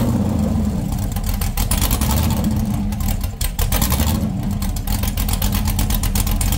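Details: LS 6.0 V8 (2000 Silverado harness) after straightening the dipstick that the crank was hitting: deep, even rumble rising smoothly on revs and settling with no knock or tick; healthy.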